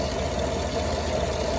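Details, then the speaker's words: 2016 GMC Yukon idling with loose rolling rattle like marbles tumbling over the hum; failed bearing in Gates aftermarket water pump fitted October 2021, wife reported squealing. "just sounds like a bunch of marbles rolling around in there. It sounded terrible."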